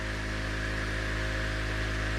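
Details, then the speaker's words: Old trolling motor on a restored 1972 Glasspar (Larson) boat, 24 V setting, about 3075 rpm on low rising to about 3180 rpm on high: steady, even electric hum, constant pitch, no rattle or scraping; spinning freely. "we got a 24 volt on the same low setting basically it doubles 3075 that's on low going high"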